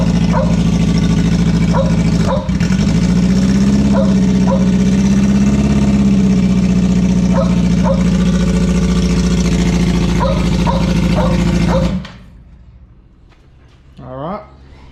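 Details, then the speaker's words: K24 jet boat engine on methanol, EMS ECU, first start after build: fires and holds steady even hum with a brief rev blip, then shuts off cleanly; everything works, normal running. "so yeah as you can see it all starts up everything works well"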